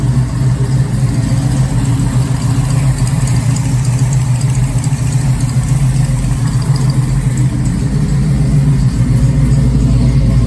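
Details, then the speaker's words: 1969 Firebird with a 494 stroked 455 Pontiac V8, first start in nearly 20 years after restoration; deep steady lumpy idle with no knocks or ticks; engine running smoothly and healthy. "i don't know about you but that sounds uh pretty good for a 494 beast built in the garage here at home so it's running pretty good"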